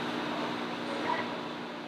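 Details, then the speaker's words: Newly installed Maytag over-range microwave, replacing a loud old Frigidaire Gallery: a steady even hum with a soft fan whoosh and no buzzing, rattling or clicking, operating normally. "Now that sounds like a good microwave. It's so nice when things actually work. You can hear the quality difference."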